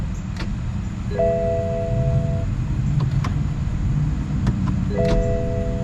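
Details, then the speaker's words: 2014 BMW X3 towed in, new battery fitted, start attempted: a few strong single starter clicks under the warning chimes with no cranking, the starter engaging but not turning the flywheel because the engine is mechanically seized. "You get a strong click. I mean, you can feel it in the heels of your feet resting on the floorboard inside the vehicle from the starter kicking out. But it's not rotating the flywheel, generating that energy that it needs to start the vehicle."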